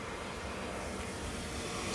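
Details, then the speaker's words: Hayward 250FDN pool heater after ignition manifold cleaning, water at 65°F: blower runs about 30 seconds, clicking, then the flame lights with a whoomph and a steady even hiss; burner firing normally. "And then you'll hear clicking, there'll be a smell of gas, and then it'll light up. There goes the whoomf that we were waiting for. We have heat."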